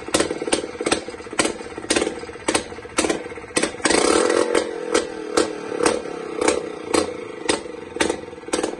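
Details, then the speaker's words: Jawa 250 type 592 two-stroke after a full overhaul (new piston set; rings had been fitted reversed), after replacing the right-side crank seal on the ignition side and the plastic part under the carburetor: crisp, even idle with a light tick and a short blip, running well. "So these two things after replacing caused the engine to run beautifully so I thank you for watching and See you in the next videos Have a good time"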